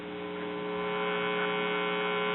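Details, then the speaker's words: 1950s Waters-Conley record player (Silvertone/Phonola) with cartridge replaced by higher-output 8090, volume wide open: only a steady low mains hum, no howl or rising squeal; no feedback. "wide open and I'm not getting all the howling and squealing that I was getting so we'll just go with a 80 90 for both of them"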